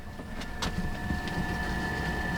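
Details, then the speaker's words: ALDE hydronic RV heater after clicking and apparent fault: steady even burner fan whir with constant high whistle, no knocks or surging; heater now burning, fan possibly had been stuck and came unstuck. "hear the fan, and we just went outside and checked, and it's burning. So what the heck? Unless that fan was just stuck and it came unstuck, I have no clue."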